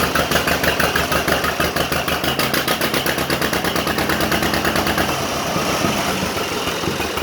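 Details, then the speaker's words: 1950 John Deere Model M garden tractor in neutral just after a cold start: a slow, even two-cylinder pop-pop idle, steady and regular with no misses. A good-running engine. "i haven't run it much i just ran it enough to get over here in the shop but even when it's dead cold it cranks up just perfectly just like that right"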